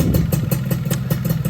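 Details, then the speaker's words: Yamaha F1ZR two-stroke during major service and porting, clutch removed but exhaust and electrics fitted: steady idle with an even low putter and regular light pulses, no knocking from the connecting rod. Bottom end is healthy. "mesinnya udah bener adem ya, bagian stang seher nggak ada suara-suara yang aneh-aneh."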